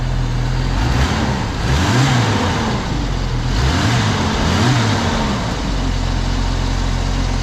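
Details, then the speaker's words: Comanche truck, sitting unrun since 2012, first start after injectors were cleaned and resealed with new O-rings: clean, crisp revs rise and fall smoothly over a steady idle with no misfires, ticks or knocks; runs real smooth. "we got the truck running it took some effort but we got her done she's running real smooth i'm so excited hasn't run since 2012 guys 2012."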